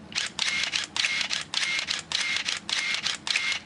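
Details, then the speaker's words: Minolta Maxxum 7000 film camera with autofocus off, drive switched from single to continuous: evenly spaced bursts of mirror slap, shutter clatter and winder whir, about 1.5 per second. Normal continuous shutter operation. "Here we're hearing the shutter and the mirror flipping. If I change the drive mode here and step it across to continuous,"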